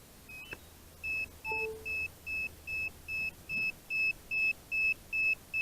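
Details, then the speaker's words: DJI Phantom 4 Advanced remote controller (GL300C) with a sticking control stick that won't zero or calibrate: constant loud high-pitched beeping, about two and a half a second, as the stick calibration error alarm. "never know when the remotes gonna be beeping giving you that error basically it's calibration error that constant loud beeping"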